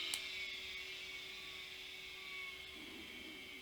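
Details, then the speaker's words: Opened vintage hard drive (IBM / HardCard 20) powered up on a PC: a thin steady platter whine over a low hum with no seek clicks. The platter spins but the white plastic head arm never moves. "aha as I suspected these uh white plastic arm hasn't moved"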